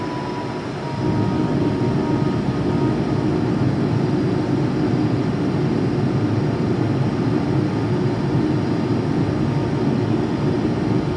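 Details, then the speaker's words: Used Boge 40 HP VFD air compressor, very low hours, reaching about 105 psi: steady low motor drone with the whine ramping back down and holding at pressure; normal VFD compressor run. "you'll be able to hear the motor whine back down once it gets up to pressure where around 105"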